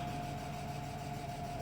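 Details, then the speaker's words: E36 BMW M3 at idle, first start after sitting, not yet up to temperature, with loud lifters. A faint steady mid-pitched whir is heard. The owner suspects the power steering, given seepage from the reservoir, but this is unconfirmed: whirring noise at idle. "was a lot of seepage out the bottom of the power steering reservoir and everything, so I think that's what that whirring sound is, but that's cool."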